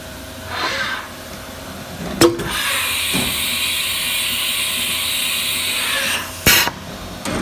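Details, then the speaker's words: Haas VF4 spindle started after a tool change: a hissy, high rushing noise holding steady about four seconds, from two tool-release pins making contact. Disconnecting a hose stops the noise. "So the issue is that when I make a tool change, those two pins are making contact to each other after a tool change, and then that's where the noise is coming from."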